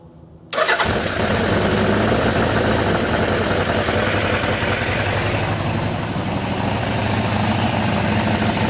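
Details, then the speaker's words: Suzuki GS750 four-cylinder motorcycle, about 23,000 on the odometer, first start after sitting, choked: fast even idle holding steady; idling too fast, number two cylinder carb dripping, idle to be turned down. "Well, it's idling too fast. It's also dripping on the number two cylinder. Let's see if we can turn down that idle."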